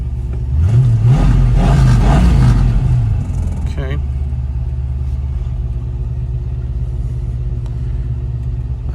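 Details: 1967 Ford Mustang GT350-style replica, 289 V8 with automatic, restored, from Arizona: smooth throttle blip rises and falls cleanly, then settles to a steady, even idle rumble. Healthy V8, good compression.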